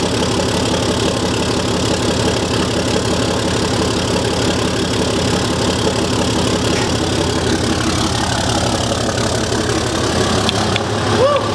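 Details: Diesel truck just after installing and priming a Fleece Performance Power-Flo lift pump, with no leaks: even diesel clatter at a steady idle throughout, with no hunting, stumbling or odd knocks. Normal idle.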